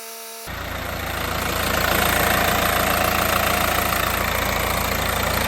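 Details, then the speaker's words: 2015 Mercedes A180 1.5 CDI diesel, Renault K9KF452 engine: after oil, oil filter, air filter and fuel filter service, catches and settles into a steady, even idle clatter with no misses; checked underneath, bone dry with no leaks; healthy. "Right, so we've just had that running, checked it now. It's bone dry under there, so we're fairly happy at that."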